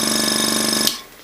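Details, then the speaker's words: Iwata Sprint Jet model 800 oilless piston airbrush compressor, running with nothing attached: steady even electric buzz with fast fine pulse, very little vibration, no knocks or rattles — normal running. "so I'll just turn this on and you can hear it just buzzing away very little vibration"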